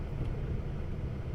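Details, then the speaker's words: 1973 Buick Century at about 70,000 miles, early morning, in reverse with throttle applied: the engine drones and revs but the car barely moves about 3 feet. Fluid is mysteriously disappearing with no external leaks found; automatic transmission slipping. "Oh, it's trying to move. But you can hear it just rolling. revving."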